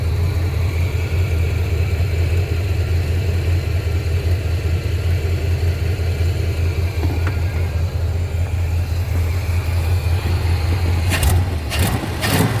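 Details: 1987 Suburban with swapped 454 big block, hot, rerun after a loose cheap spark plug wire was found and refitted: deep, even V8 rumble holding a steady idle with no misses, a few short knocks at the end; normal idle.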